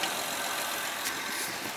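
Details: Honda Pilot 3.5 i-VTEC with nearly dead battery and good alternator charging about 14 volts: quiet even idle with soft steady hiss, no ticks, knocks or whine; engine sounds healthy at rest.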